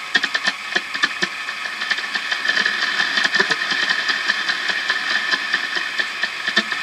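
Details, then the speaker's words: WWII ARR-7 / R-45 aircraft receiver with motor sweep tuning at fairly slow speed, full-band sweep: static hiss with bursts and chirps as stations pass, returning the other direction; sweep drive working normally. "and now it'll return go the other direction and you can hear you can hear the different signals as it sweeps past them"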